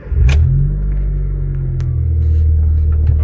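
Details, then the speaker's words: 2004–2008 Honda Fit, engine running, steering turned after spraying liquid vaseline on the front strut mount: only a steady engine hum with no creak; the dried-out mount noise has stopped, and the mount is to be replaced. "ó lá. Tá vendo, ó? Parou o barulho. Parou aquele barulho chato que tava fazendo."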